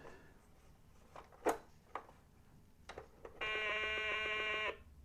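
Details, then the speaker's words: 1980 Milton Bradley Super Simon on batteries, first power-on test before repair: a few clicks, then a harsh, buzzy, rough tone held for about a second; sound output distorted, and one button is not pushing. "doesn't sound good, is it? Don't think that's right."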